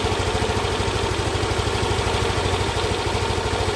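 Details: Yamaha NMAX scooter brought in for rough noise, after repair: quick steady idle with an even low putter and no scraping or knocking; engine now healthy and smooth.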